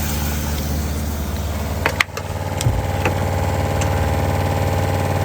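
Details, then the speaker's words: RV water pump under bottom bunk beside the water heater: steady low hum with uneven throb about four pulses a second and some knocks, vibrating the whole RV; loud pulsing old pump. "So I don't know if you can hear it, but it vibrates everything. It's got like a pulse to it."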